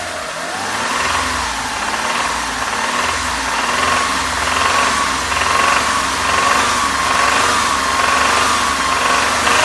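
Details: Hyundai Terracan 3.5, driven a lot and hard (160 km/h, mountain trips): irregular internal knock over mid-range revs at 2000–3000 rpm; on LPG, pinching the gas feed to cylinder 4 stops it; suspected lifter, rod bearing, wrist pin or piston.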